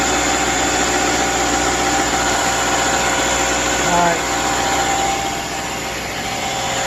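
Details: 2010 Subaru replacement engine with 87,000 miles, installed after the original overheated and failed: even idle with steady pulse around 220 per minute, no knocks, ticks or stumbles; runs smoothly.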